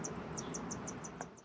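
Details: MaxxAir MaxxFan/Fantastic Fan RV roof vent on a 2019 Rpod 180, after the first fix attempt: high chirping squeak about six times a second over soft fan whir; the motor bearing still squeaks, so the fix failed.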